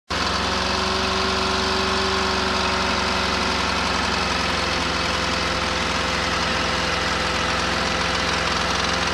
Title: 1972 Camper engine knock